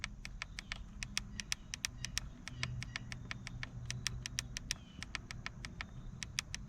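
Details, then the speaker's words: 2022-2024 Honda Civic Sport hatchback 2.0 manual, about 6 months owned: steering wheel volume-down button, most-used, rapid clicks about four a second, some duller and softer than volume-up; owner suspects early wear. "can hear there's a substantial difference there, and there is a little bit of difference in feel already with how those buttons react."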